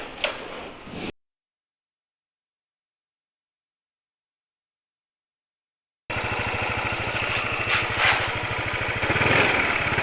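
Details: Motorcycle idling after an oil change to Ravenol TSi, done because piston-to-cylinder friction noise had grown and fuel dilution was feared: even, steady beat of about three pulses a second with no rattle or knocking; normal idle.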